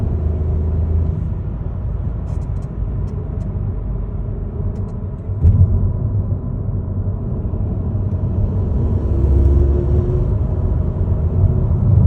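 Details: Ford Focus Mk4.5 MHEV mild hybrid under acceleration: low engine rumble builds as the car pulls, with a faint rising hum on top near the end; cause unclear.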